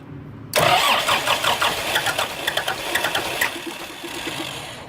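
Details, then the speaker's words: Kubota M120 diesel tractor, sat four or five years, after wiring rebuild and PTO switch fix: starter cranks in a fast even churn but never catches; crank no start, owner suspects failed lift pump or air in the fuel, no fuel at cracked filter line. "she'll turn over won't start i think my lift pump out well i don't know if it's lift pump or just got air in it"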